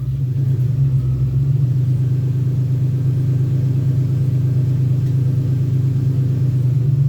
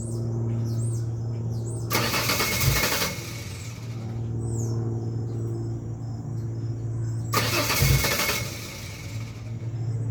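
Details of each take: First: 2001 Ford Ranger XLT 4.0 V6, running after a long morning crank-no-start: deep steady rumble with even beat, no misses, knocks or ticks; idling smoothly despite many replaced fuel and ignition parts. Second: 2001 Ford Ranger XLT 4.0 V6, morning start: repeated starter cranking bursts, about a minute needed, engine not catching; runs fine once started, despite new fuel pump, injectors, filter, plugs, wires, coil pack, regulator, crank and cam sensors, compression checked.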